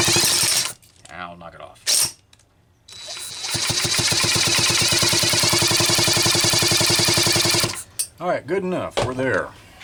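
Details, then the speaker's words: Homelite Super XL-925 chainsaw capacitive discharge ignition test, spark plug out, engine cranked: sharp, regular snapping about four per second, a strong spark; healthy ignition spark. "some sort of debris in here that's altering the spark path but I can sure hear it's snapping"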